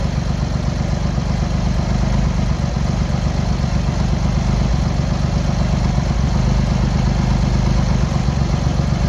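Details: Cold Triumph Hurricane X75 triple, rebuilt carbs just refitted, choke on, pilot screws thought about 7/8 out, left-hand carb later found misadjusted: lumpy idle, uneven beat, one cylinder seemingly dropping in and out; carb tuning suspected needed; uneven cold idle.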